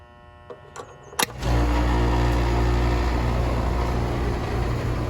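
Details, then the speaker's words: Rheem R-410A condenser after installing new warranty fan blade, amp clamp on compressor: a few clicks, then a steady low hum holds even with no wobble or shaking, unlike the whole unit shaking before; condenser fan running normally. "A lot better. Before it was, man, this whole condenser was just shaking."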